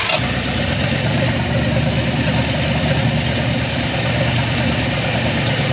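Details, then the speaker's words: 1962 Chevy Impala convertible with a transplanted 307 V8 and 4-speed, long stored and being revived. It has a loud, lumpy, uneven idle because one cylinder reads zero PSI compression and is not firing, possibly from a stuck valve. "the other reason why the car wasn't running right is we had a a cylinder Zer PSI which I had said that to him when we had it running the first time"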